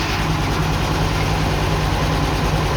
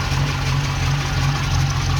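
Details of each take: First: Ex-NZ Army V8 Land Rover (NZ 341) warmed up after Mallory ignition swap: timing found way too advanced, possibly from new optical unit position; fast, steady, smooth idle well above normal. Fix: distributor reset to 6 degrees advance, idle returned to normal. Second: Ex-NZ Army V8 Land Rover after replacing military ignition with Mallory coil, optical distributor, cap, rotor and ballast resistor: steady low V8 burble at idle, even beat, no misfire or knock; idling smoothly.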